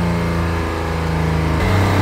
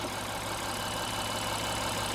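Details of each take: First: 2016 Honda Pilot 3.5 with code P2652 and check engine light on; rocker arm oil pressure sensor reads 0.74 V. Right after start, the engine goes straight to a high, elevated drone and climbs without throttle. High idle from faulty rocker arm oil pressure switch. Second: 2016 Honda Pilot 3.5L after repair of a P2652 rocker arm oil pressure switch fault: steady, even, smooth idle with no misses, knocks or ticks, and the engine revs cleanly. Normal idle, fixed.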